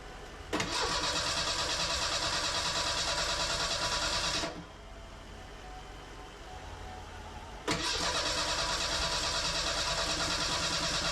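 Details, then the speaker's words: Merkur XR4Ti after an engine swap, first start attempt: starter cranks at a steady brisk pace with pauses, coughs a little but never fires; owner suspects bad fuel in tank and wrong ignition timing. "after hours and hours of work I managed to not start the engine it did crank it coughed a little bit but but couldn't get it to start"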